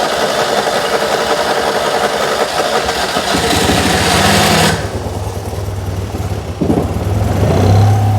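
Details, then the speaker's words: Abandoned 23 years, 2CV-based Falcon S kit car revival attempt: engine catches, runs rough and lumpy about four seconds, then dies and churns weakly; brief run then stall, possibly running on easy start rather than petrol (fuel delivery suspected, not confirmed). "my days oh that sounded sweet"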